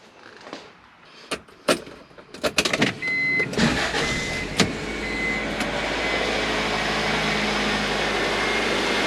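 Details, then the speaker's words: Acura idling right after new AC, alternator and power steering belts, idler pulley and AC compressor were installed: after some handling clunks the engine catches and settles to an even, steady idle with no belt squeal. "okay. She's running nice."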